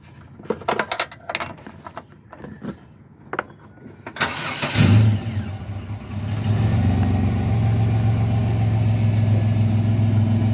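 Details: 1998 Chevy Blazer, 200,527 miles, started after evap/charcoal canister replacement for P0440 code; a few clicks, cranks, catches and settles into a smooth even idle with no misses; no leaks.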